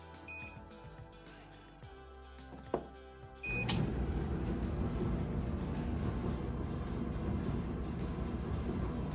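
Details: Clothes dryer after the squeak repair and reassembly: a few beeps, then a steady, even drum rumble with no squeak or chirp. Normal running.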